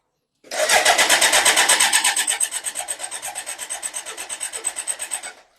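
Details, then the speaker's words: BMW K100 motorcycle with a fuel leak: starter cranks steadily about three turns a second for five seconds, no firing; fuel pump confirmed not working, crank no start. "yep so definitely fuel pump does not work"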